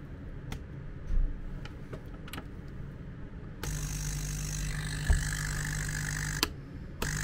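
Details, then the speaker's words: MET AIR T-100 anti-bedsore mattress compressor after repair of a dislodged internal power contact that stopped it switching on; after a few clicks it starts with a steady, even low hum and air flows normally. "Все работает, воздух идет."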